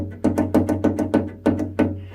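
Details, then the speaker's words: Nearly new Bowflex Max Trainer in use: quick hollow knocks five or six per second over low hum, metal-on-metal at the crank arm spindle pivot. "but it's metal on metal and as it goes round it seems to make this it's knocking which just spoils the whole you know painful match trainer experience"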